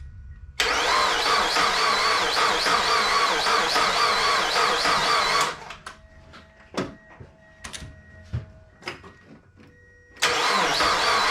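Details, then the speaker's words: Mazda Miata after timing belt, water pump and valve seal job: sluggish laboured crank for about five seconds, never catches; has oil pressure, owner thinks it isn't cranking fast enough to start, earlier suspected one cylinder low compression. "she's got oil pressure which is good i don't think it's cranking fast enough though for it to start"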